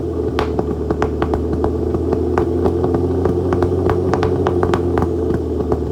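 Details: Flood-damaged Aston Martin DB9 V12 starting with lots of smoke: rough uneven idle with irregular sharp pops breaking through the drone, misfiring.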